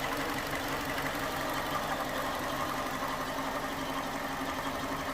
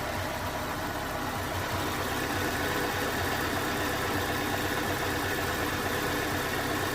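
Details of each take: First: 2011 Ford Ka 1.2 idling after misfire repair (scan showed P0203); steady, even idle hum with no misses, stumbles or knocks, no faults detected, engine now running really smoothly. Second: 2011 Ford Ka 1.2 petrol with code P0203, warm idle: uneven beat with an occasional soft puff as if misfiring, though misfire is not yet confirmed; the injector was found faulty and replaced.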